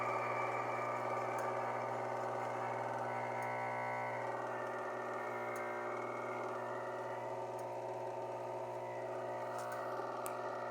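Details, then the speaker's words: Electrolux LF90 washing machine, which also leaks oil, running with a worn drum bearing: a steady, dense mechanical rumble with a rough growl and faint ticking that gets louder as load increases; the bearing needs replacing. "E aí bom então esse barulho é sentem está com a correia tem sem peso quando aumenta o peso então aumento barulho aí que que tu tá sentindo entendeu"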